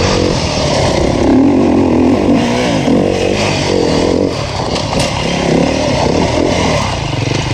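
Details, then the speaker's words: 2019 Beta 350RR four-stroke enduro bike on a Finnish enduro track, a crisp even bark pulling cleanly through the revs with no misfire or knocking; the engine runs healthy and the rider rates it really good. "The first bike that was free was the 350 4-stroke, and it was a really good one, as you can hear from the footage."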